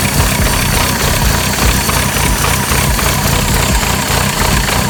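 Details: Renault Clio Williams Group A style race car, first start after engine rebuild with Colombo Bariani camshafts, forged pistons and rods, alloy radiator, Clio Sport 182 gearbox: loud, lumpy race-cam idle with steady rhythm, no knocking or rattles; normal idle after rebuild.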